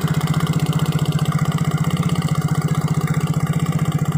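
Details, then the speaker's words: Yamaha Mio J scooter idling with a hard, steady klotok knock each revolution, not the one-way gear; the spark plug is loose and wobbles when pressed, and a loosely fitted plug is suspected of causing the knock. "bisa jadi pemasangan lucunya ini kurang kurang kenceng oleh mengakibatkan bunyi seperti klotrok"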